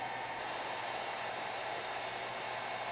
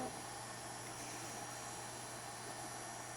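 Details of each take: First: HP Pavilion Slimline s3600t (Core 2 Quad Q9300, 9800GT) with an upgraded replacement PSU, running 3DMark06, Prime95 and a virus scan, CPU around 62–70°C; steady loud airy rush with a faint hum as the PSU fan spins up hard once heat builds. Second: HP Pavilion Slimline s3600t (Core 2 Quad Q9300, 9800GT) with Sparkle SPI270LE 270 W replacement PSU, cold start: soft steady whoosh, faint low hum, no rattle or whine; quiet normal PSU fan, which speeds up once warm under its temperature controller.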